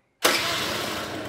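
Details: Two-stroke scooter during carburettor idle-mixture setting, idle screw turned in until it stays running without throttle: catches at once and settles into an even, buzzy idle; normal idle.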